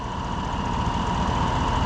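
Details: 2015 Chevrolet Suburban at idle after alternator replacement, running 10–15 minutes, charging at 14.99 V, alternator around 130 degrees: steady low idle with faint even whine, no surging; charging normally.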